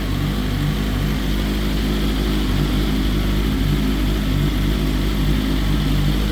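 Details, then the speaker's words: BMW S1000RR first start after oil plug came out and oil went everywhere: even steady four-cylinder idle, no knocks or rattles; sounds great, healthy. "all right so that was the first start of the s1k with the oil plug that came out of it and oil went everywhere bike sounds great so we should be good to rock and roll"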